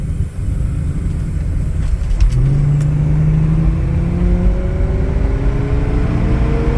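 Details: 1977 Ford Thunderbird V8 after exhaust leak fix between cat and pipe using muffler mud with gasket on rusted flange; pulls hard accelerating, note climbing smoothly with no ticking or puffing: normal exhaust under acceleration, leak fixed.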